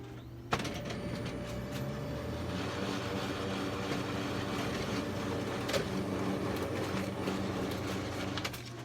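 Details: HP LaserJet 600 laser printer starting up and running with a loud, steady mechanical droning hum and occasional clicks; abnormal loud running noise.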